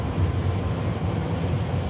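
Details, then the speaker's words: Oversized EG-11 two-pipe steam boiler firing normally at about 12–13 inches water column, just under half a pound, with a deep steady flame rumble, no pulsing; air conditioning audible in background; Honeywell Vaporstat set near 10 oz will trip it off soon. "two-pipe steam boiler firing away that pressure is about 12 13 inches of water column which is just a little less than a half a pound so that's going to start tripping off in a few minutes"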